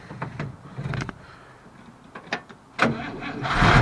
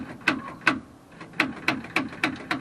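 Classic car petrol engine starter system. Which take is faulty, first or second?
second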